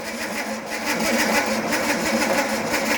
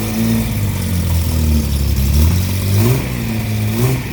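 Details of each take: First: Slow, labored cranking at about four pulses a second without firing, while checking for spark after distributor work on an engine with rebuilt flat-top carbs; weak battery, possibly needing a booster, later swapped for a bigger battery. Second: Car with rebuilt SU flat-top carbs, after the distributor fix restored consistent spark, started on choke: a steady, even idle with clean throttle blips, running normally.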